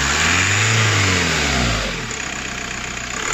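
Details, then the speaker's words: VW Golf 4 diesel with cutting-out/vibration complaint: quick rev rising and falling cleanly with no stutter or cutting; smooth revving. "كتبقى تشوف ما كاين لا قطيع لا والو عادي."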